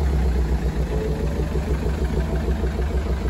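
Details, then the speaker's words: 2013 BMW 520d, about 180,000 km, towed in with heavy blow-by smoke: uneven, lumpy diesel idle with a stumbling beat about three times a second; misfire. "차량이 엄청나게 부조 하면서 블로 바이 가스가 엄청나게 났었어요"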